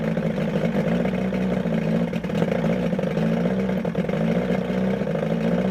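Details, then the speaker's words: 1978 Evinrude 115hp outboard on muffs after water pump replacement: lumpy uneven low drone with dips and surges; owner suspects timing off, later set pickup timing to 5° BTDC and replaced plugs. "almost sounds like the timings off and so it runs but it's almost like it's fighting [Music] itself"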